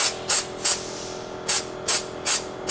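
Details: Pivotal Edge 104411 vacuum valve (seal kit 102419-1): sharp hissing air bursts about every 0.4 s, seven in three seconds; valve keeps cycling from air leaking at a loose fitting, or possibly a damaged seal.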